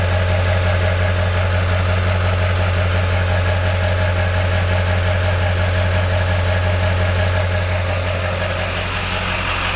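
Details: LB7 diesel at low idle with slightly uneven clatter, about three pulses a second; owner suspects injectors failing, worst balance rate 3.2, idle rail pressure about 5500; rough idle, unconfirmed.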